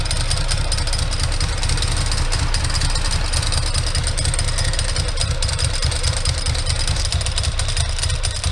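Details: 2003 Ducati ST2, 944cc water-cooled 2-valve, knocked over and left outside: a loud, rough idle with a dense rattling clatter. Clutch noise; owner suspects the clutch pack, possibly its bearing, cush drives or the case main bearing.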